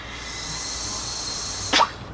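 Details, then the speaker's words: Turbocharged car boost leak test, pressurizing intake by blowing through the PCV hose to about 2–3 PSI: steady high-pitched hiss of air escaping from the intake/intercooler piping, confirming a boost leak. "I can actually get two or 3 three PSI just by blowing through that hose and you can hear the hissing so there's definitely a boost leak at only 2 PSI"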